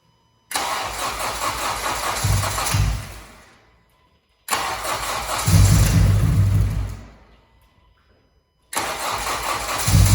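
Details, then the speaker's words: 9th-gen Honda Civic Si that won't idle, spark present, injector connectors suspected swapped; three tries, starter catches, engine revs briefly a couple of seconds then fades and dies: starts then stalls, cause unconfirmed. "So as of right now, the car turns on, but it dies."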